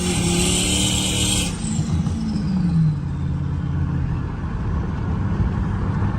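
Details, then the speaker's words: 2014 RAM 1500 on highway test drive after replacing worn left front wheel bearing: steady road roar with early wind hiss, no growl or speed-rising hum; normal highway cruise. "Alright, so I'm on the highway and the wheel bearing noise is definitely gone now. It sounds good."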